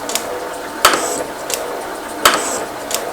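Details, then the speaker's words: Metal shaper with a large brazed carbide tool, replacing a failed M35 bit, raised from 24 to 42 strokes per minute on a rail. Sharp cutting strokes with a light swish between and no chatter; much less tooling noise than with high-speed steel; normal cutting. "I'll also say that there's uh still the same machine noise but there's very little tooling noise now which with the high speeded still you could hear it gruning its way through the job"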